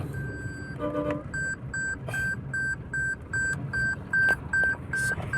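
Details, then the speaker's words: 2019 Toyota Hilux, 1GD diesel, after alternator/no-charging roadside fix: rapid even beeping, about two and a half chirps a second, over a low engine drone; the seat belt reminder chime. "Wait lang napakaingay ng seat belt ah"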